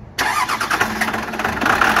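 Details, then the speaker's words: 12-valve Cummins diesel swap in a pickup, first start-up, no coolant, started without a key; catches right away and settles into a steady, even diesel clatter at idle, no misses or knocks. "we have a running twelve vowel listen to that now we don't have any coolant in it just basically wanted to hear it start no key we didn't put the key in it the ignition switch isn't working with the new key for some reason"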